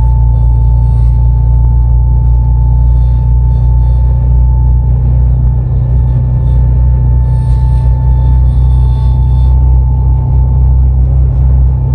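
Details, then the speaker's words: Vehicle at about 50–51 mph: a steady, clear whistle near 900 Hz over deep road rumble from air through the roof light bar, starting around 45 mph. "there's a beauty to show you guys the wind noise from the roof light bar we're going 50 right now 51 and the noise stores at about 45"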